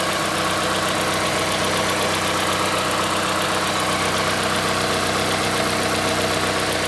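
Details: Mazda CX-5 Skyactiv 2.5 cold start while warming up: fast light ticking knock, a few per second, over even engine hum, starting around 50 seconds after start and stopping once warmer; cause unclear, owner asks if normal.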